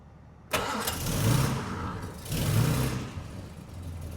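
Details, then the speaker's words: 1968 Jaguar S-Type 3.4 litre, after nearly 30 years sitting in a barn: cranks briefly, catches cleanly and settles into a steady, even idle with no misses or knocks, seeming better as if it just wants running. "Seems to be idling nice, doesn't it? So yeah, it seems a bit better. It's like it just wants to be ran a touch, doesn't it?"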